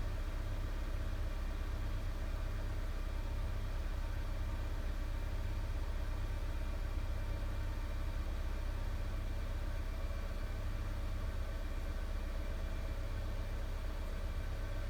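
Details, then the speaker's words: 2002 Honda Civic with no A/C, engine idling, A/C light on: steady even idle with no click or load change as the control is turned; compressor clutch never engages, control module suspected. "the light is on but our compressor's not running"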